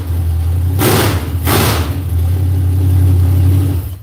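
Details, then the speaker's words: V8 after an adjustment: deep, even burble with two quick throttle blips that rev cleanly and drop back smoothly; sounds crisper and less bound up than before, closer to right; normal running. "Sounds better, don't it? That's more close to right."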